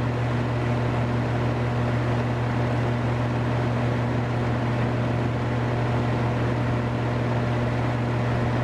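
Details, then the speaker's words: Central air conditioner condensing unit built June 2016, first startup of the season: steady deep hum with a constant buzzy rattle that it always makes while running; still cooling, rattle cause unconfirmed. "all right she's up and run rattling as it does I'm not gonna lie it's actually getting cold a little bit"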